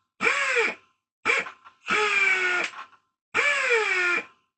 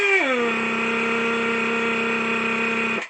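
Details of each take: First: Old Atlas Copco air-powered hoist after repair of air leaks: four short air-motor bursts with a falling whir as each lift stops, clean and even, no hissing leaks, faster than before. Normal operation. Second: Old Atlas Copco air hoist on compressed air, raising and lowering: the air motor spins up, then settles into a steady high whirring note with a constant sharp hiss underneath; air leaking somewhere, exact spot not yet found.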